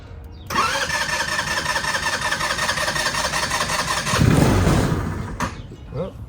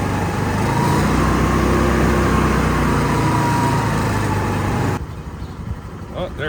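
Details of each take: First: Moped neglected five years, just fitted with a carburetor and new battery, ignition button sticking: engine catches and buzzes unevenly for about four seconds, swells briefly, then cuts out abruptly; it starts but won't keep running. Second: Moped revived after five years unused, carburetor replaced and new battery fitted: high light buzz under throttle drops to soft steady even patter like a sewing machine; normal running.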